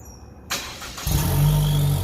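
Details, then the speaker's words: Gen1 Chevy Cruze 1.4T, Trifecta-tuned, just after ZZP catless downpipe and mid-pipe install, stock exhaust, warm start: quick crank, clean catch, smooth rev with faint turbo whistle rising; everything fine, normal start and rev. "I guess that was more of a warm start, but you can sort of hear the turbo in there a little bit."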